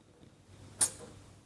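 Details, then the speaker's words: 2009 Honda Civic with weak AC, engine off, listening at the AC port as the cap comes off: short faint hiss of escaping refrigerant; the Schrader valve is leaking, likely past its O-ring. "I just heard that. Let's try this one. Okay, this one's not leaking. This one is."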